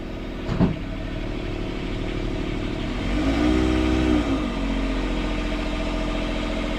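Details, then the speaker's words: Port sailboat diesel at anchor in forward gear after repairing all four engine mounts, snapped by a submerged log strike; a steady, even drone with no shudder or knocking and a brief rising tone. It is not vibrating and feels nice and solid. "Alright, well the engine's not vibrating, everything's like nice and solid."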